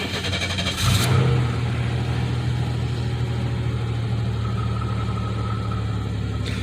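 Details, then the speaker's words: 1993 Chevy Lumina restarted five hours later, engine cooled with air around 50 to 60°F, after an idling issue from sitting six days. Short crank and flare, then a steady, even idle; the earlier problem seemed a hiccup. Normal cold start. "but uh sounds to be sounds to be running normal so I guess um I guess that was maybe just a hiccup then"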